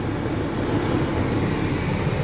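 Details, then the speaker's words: 2011 Mini Cooper blower motor after a quick-fix repair, airflow switched from uppers to defrost to floor over engine idle: even low rush of air, no squeal, tick or grinding, normal blower operation. "okay it's blowing up the uppers and now let's turn it up to the defrost hand-blown defrost and now we'll put it to the floor and we fill it on the floor now"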